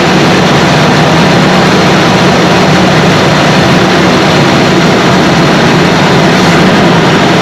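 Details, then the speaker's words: 1978 Chevy C20 4wd, 350 small-block V8, after a backfire and power-loss fix (new ignition parts and coil ground strap, the suspected cause): loud, steady rumble with no misses, pops or backfires; normal running. "Okay, just got back from a test drive in our truck, and I'll say sounds pretty doggone good."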